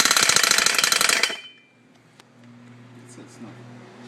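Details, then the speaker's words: Engine with gearbox and clutch removed: harsh rapid clatter, about four sharp knocks a second at start-up then dying away; sharp sound persists, source unclear. "and now that sound the sharp sound when I start the engine that sound um is still there even with all that off"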